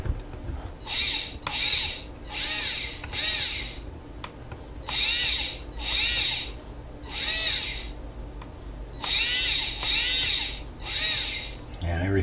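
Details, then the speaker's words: Tamiya MF-01X kit, electronics bench test before installation in the car: 35-turn motor driven by the kit's speed controller gives short bursts of high, smooth whirring spin-up about every second with pauses. Motor and controller working normally. "And everything seems to be working, so we can turn it off."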